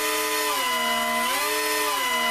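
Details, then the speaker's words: 4-motor mini Lidl RC plane, 19 in wingspan, differential thrust mixed on channels 3 and 4: throttle opened with slight offset, all four props running, steady high whine dips then rises as left rudder speeds up motors; clean, healthy pitch change. "opening the throttle with a little offset all four props are working and if I move the rudder to the left you can hear a change in Pitch there because"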